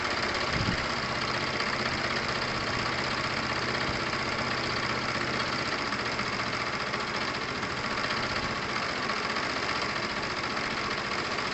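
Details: Tamoretti moped idling after fitting a replacement carburettor to cure a fuel-starvation running issue: steady idle with a light, even patter and no stumbling or hunting, running normally.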